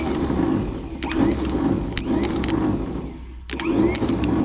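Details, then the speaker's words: 1962 Hillman Minx starter with centrifugal Bendix drive and no solenoid, bench-tested after cleaning brushes: short bursts of quick rising whir spinning up and down, no grinding; works, though engaged incompletely at first. "it doesn't work off of a solenoid it just spins and catches so we're gonna see if she'll work let's see here oh it seems to be working properly well maybe not there we go it ain't engaging all the way there we go"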